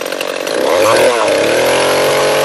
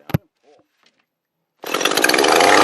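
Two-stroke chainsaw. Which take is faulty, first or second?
second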